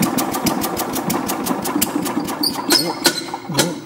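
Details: Tecumseh-powered Craftsman 4-in-1 yard vac (model 247.770100), sat about two years, refueled, at low idle: quick even popping beat, no misses or rattles; running fine.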